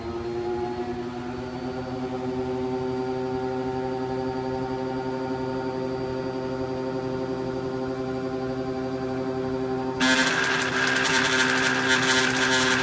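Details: Samsung P801DWN1/XAC washing machine: steady droning hum with a buzzy edge, pulsing about four times a second, then a louder rushing noise; cause of the abnormal noise unknown.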